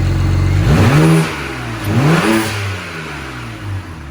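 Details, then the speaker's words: BMW E90 with N54 twin-turbo engine, MHD tune, after replacing front and rear turbo vacuum lines. Smooth idle with two quick, clean rev blips rising and falling evenly, no hesitation or flutter; sounds healthy. "Yo, that's how it sounds. That's how it's supposed to sound. We're so back."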